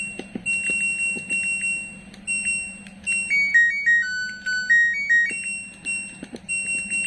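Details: LG Smart Inverter front-load washing machine control module, repaired after a short circuit that tripped the power: a bright electronic tune of rising and falling notes plays cleanly on power-up, so the module works normally again with 5 V and 12 V restored.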